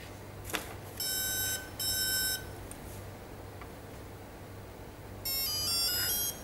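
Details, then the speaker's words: Speed controller (ESC) powered by 3-cell LiPo, brake disabled and LiPo battery type set: clear bursts of high beeps in repeating groups with pauses as it loops through its setup menu again; ESC programming menu tones. "let's go through the same process again the first one is for break we just finished disabling the break two we just finish off with the lipos cut off mode"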